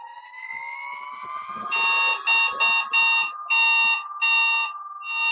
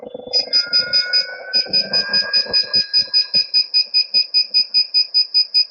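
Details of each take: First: Begode ET Max electric unicycle on a stand, throttled up to hold about 80, 85 and 90 percent PWM: a rising tone, then about seven sharp, high, progressive beeps in quick bursts. The PWM power alarm works normally and the wheel did not cut out. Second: Begode ET Max electric unicycle free-spinning on a stand, pushed toward cutout near 93 mph and about 100% PWM: rapid steady high-pitched beeps about 2.5 per second, power alarm sounding only right at cutout.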